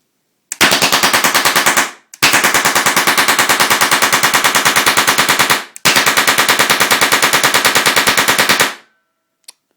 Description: Test fire of a LPG Propane gas gun fire simulator using a UK spec deactivated M26 Chatellerault light machine gun.